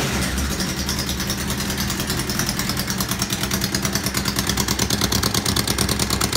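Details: Honda CB600 Hornet F3, heavily rusted exhaust: fast, sharp puffing tick about three per second over the idling four, getting crisper. Exhaust leak; pair valve link pipes later found to be the problem.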